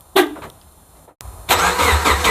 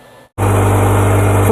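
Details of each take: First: 2009 Subaru Forester that suddenly became extremely loud: it starts and settles into a very loud, raw, deep, unmuffled blatting idle; the muffler or part of the exhaust is apparently gone, pointing to a broken exhaust under the car. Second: 2009 Subaru Forester, about 186,000 km, after welding a broken exhaust that made it straight-piped loud: engine settles into a smooth, steady low idle with no exhaust rasp or puffing; exhaust sealed.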